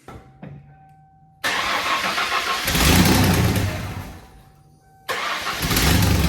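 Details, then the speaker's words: Mustang with a newly fitted water pump pulley, possibly weak battery, no coolant: cranks, catches, then revs and sags unevenly before restarting; misfire around 3500 rpm, with good oil pressure. "She's not very happy. She's She's missing at I want to say like 3500 RPM."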